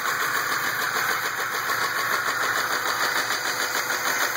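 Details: 2004 Ram 1500 at steady idle with a sharp, fairly regular tapping knock about three per second on top; engine knock, cause unknown.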